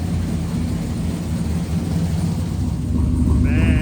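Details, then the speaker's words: Freshly rebuilt engine with a stage three cam, reusing its old parts. Deep, uneven loping idle with a heavy low-end rumble; owner notes a possible exhaust leak and maybe slight lifter noise. Lumpy cam idle. "listen to that sloppy stage three chop. That has some rumble to it."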